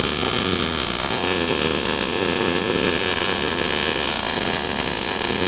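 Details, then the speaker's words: Eastwood MIG 175, first-time welder practicing a bead. Continuous soft hiss with hardly any crisp crackle: excessive wire stickout from holding the torch too far away, plus slow travel speed. "look at your wire sticking out now oh wow you're getting way too far away like I was telling sometimes look how hot that is as you go you're not you're doing more of this instead of sliding"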